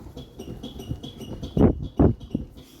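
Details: Peugeot 206 rear suspension, initially suspected rear axle. Squeaky creaks with heavier thumps as the rear is worked come from a loose, worn rear shock absorber bushing.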